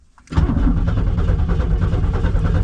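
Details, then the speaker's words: 1990 Pontiac Firebird third gen after long storage, starter hot-wired by touching blue and red wires together: steady fast cranking with even starter beats, but the engine never catches or fires; cranks without starting. "cranking over. She's not starting, but she's cranking over. So, that's a plus."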